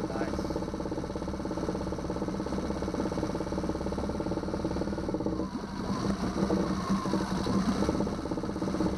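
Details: 2009 Yamaha 6 hp four-stroke outboard after no-start troubleshooting and an impeller change: even steady putter at idle with no misses or knocks; water cold, cooling water shoots far out the back; running normally.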